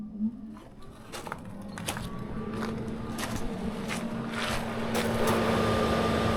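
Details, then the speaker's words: Tesla climate control switched on from the app for comparison: quiet hum rises in pitch as the system spins up, then settles into a faint steady tone; climate control running normally. "Słychać, że działa. Wyłącz klimatyzację."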